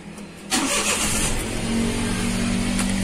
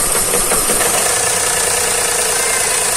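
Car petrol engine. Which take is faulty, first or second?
second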